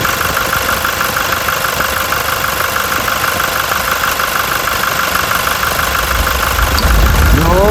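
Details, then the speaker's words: Toyota Innova 2026 XE automatic idling with A/C on: light, even tok-tok about three times a second from the compressor, idle unchanged, no grinding; normal ticking worth memorizing as a baseline. "Yun, may naririnig tayong ingay. Pero ang ingay niya, tok, meron lang."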